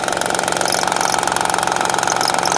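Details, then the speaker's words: 2007 Honda Odyssey 3.5 running, noise located with a listening tool: a busy, rattly chatter up top over the idle from a damaged timing belt tensioner, with the belt wandering; the tensioner and timing belt were then replaced. "ahí está el tensor el tensor es capaz en el ruido se siente que aquí se acaba y ahí está el ruido"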